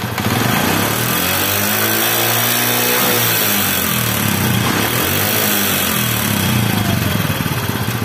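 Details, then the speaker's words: Honda 80cc motorcycle revving hard; above about 50 speed a harsh metallic rattle rides over the exhaust from the cylinder head; oil supply to the head checked as first step, cause suspected; engine head rattle. "আশা করি বুঝতেই পারছেন, ইঞ্জিনের হেডের ওখান থেকে মনে হয় ভেঙে চুরে যাচ্ছে।"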